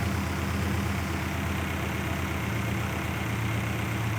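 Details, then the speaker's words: BMW E39 M5 S62 track car idling just after an oil change, before warm-up: low steady hum, no knocks, hunting or shake; smooth normal idle. "doesn't shake doesn't Rumble doesn't [Applause] anything just sounds like European [Applause] Bliss"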